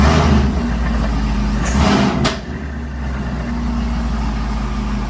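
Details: Whipple 2.9L supercharged Camaro: rough knock with a grinding edge over idle that settles as revs drop; owner suspects a bad supercharger isolator, not confirmed.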